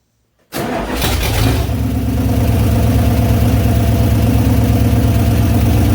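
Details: Engine fires up after the exhaust was buttoned up and settles into a steady idle with a rhythmic puffing tick underneath; no leak up front now, the exhaust leak is all coming from toward the rear.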